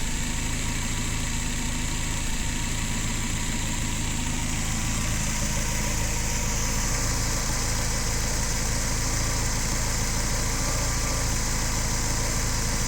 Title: DTA S80 misfires